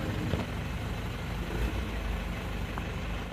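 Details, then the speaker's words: Isuzu Panther diesel after engine block repair, warmed up after an initially rough, rattly start: smooth, even low diesel clatter holding steady with no rattles or misses; normal idle. "kita coba-coba lagi dulu teman-teman untuk mobil ini ya ternyata suaranya sudah Sesuai yang diharapkan halus khas mobil diesel Panter ini"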